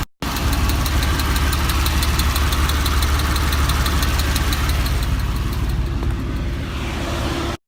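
Light, quick metallic ticking runs steadily over a smooth idle; something in the top end is ticking, cause not yet pinned down.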